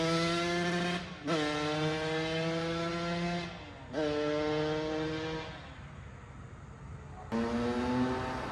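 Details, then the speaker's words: 2009 Kawasaki KX85 two-stroke, running a lot better after work beyond a carb clean: crisp revs climbing and dropping in quick blips, clean pickup, no misfire or bogging; normal running. "Well, it sounds like it's running a lot better, so that's good."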